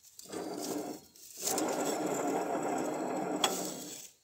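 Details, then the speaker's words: Ride-on mower deck spindle hand-turned with belts removed: gritty, rough grinding in two bursts from worn spindle bearings "eating each other". "Yeah, you can hear the bearings. They're just eating the hell out of each other."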